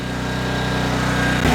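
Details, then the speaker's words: Craftsman 5600 W generator with 10 HP Briggs & Stratton engine, revived with carb work, running a 1400 W heat gun load, choke off: steady drone that roughens into sputtering; carburetor may need more cleaning, later evens out. "You might hear that sputtering. The carburetor might need some more cleaning."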